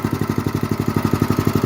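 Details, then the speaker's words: 1966–1968 Bonanza BC-1200 mini-bike single-cylinder engine with new carburetor, fuel line, filter and spark plug, started after rescue, idling on choke: steady putt of about twelve even beats a second, no stumbles or misses; healthy idle. "okay looks idle pretty good although it is on"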